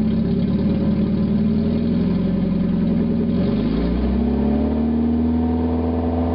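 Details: 1991 Mazda Miata 1.6 litre, catalytic converter removed, running straight pipe: a loud raspy exhaust with a deep droning hum that rises smoothly as the engine revs; sounds bad but revs up much quicker than with the converter.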